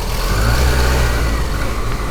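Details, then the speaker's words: Cheap first car under hard acceleration: deep, throaty roar swelling as the engine revs, louder and coarser than stock, like a turbo diesel; suspected holes in the exhaust pipes, not confirmed. "Sounds like that. It sounds like it's got a turbo. Sounds like a turbo diesel. It does, but it's just probably got holes in pipes."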